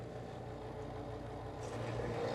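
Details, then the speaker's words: Old basement sump pump run by lifting its float to empty the basin before replacement: steady, even low motor hum with no knocking or rattle while pumping water down; the sump pump sounds healthy. "the sound we like to hear."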